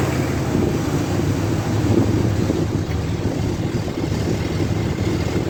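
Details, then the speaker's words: 2003 Dodge Ram 3500 dually diesel at idle after refilling coolant and oil: steady, even low rumble, no knocks, ticks or squeals, no leaks; normal idle. "Well, that seems pretty good, I'd say. I don't see anything leaking, no funny noises."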